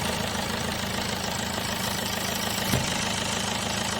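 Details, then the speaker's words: 2010 Tata Manza diesel with low pickup, black smoke and code P0238, idling: uneven rapid chuffing tick over the clatter; EGR gasket leak with exhaust gases suspected entering via the air duct, heavy carbon around it. "So இதோட case எல்லாம் வந்து உள்ளுக்குள்ள வந்து அந்த ஏர் duct வழியா உள்ள வருதுன்னு நினைக்கிறேன்"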